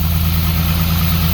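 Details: 1945 Jaguar MK4 2.5 cold start after coolant pipe replacement and engine flush, running on a makeshift choke: smooth, steady low hum at a fast cold idle with an even beat throughout; engine sounds healthy.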